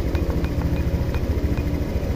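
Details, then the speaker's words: Honda Click V1 150i scooter, 23k km, after throttle body cleaning, fault reset and calibration: quick, even putter at steady idle, no misses or surging, about 1617 rpm; normal idle. "Ayan, 1617, no? Ayan, sakto lang. Ganyan dapat mga paps, oh. Ayan, RPM, no? Standard."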